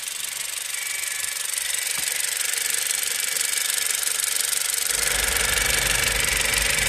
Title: my 2017 Honda CRV makes this noise, please is it normal?